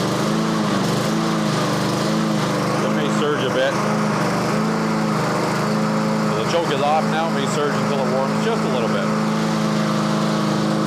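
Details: Yard Machines (MTD) push mower after tune-up, blade sharpening and deck cleaning, before oil change: speed rises and falls about once a second with choke off, hunting until warm; surging idle while cold.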